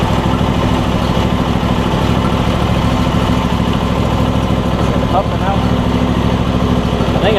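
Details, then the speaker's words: Replacement Briggs and Stratton V-twin on a John Deere E140, unrun for probably at least three years: steady, even chug with a throaty low pulse, no knocks or misses; slight smoke, owner suspects oil in the muffler; normal running. "hopefully running excellent though it's running really good which is awesome"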